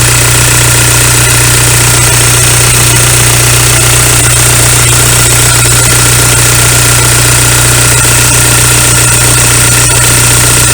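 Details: VW ALH TDI diesel idling right after injection pump head seal replacement and bleeding the fuel lines; steady, even clatter with no stumbling or misses; fix held with no leaks, normal idle.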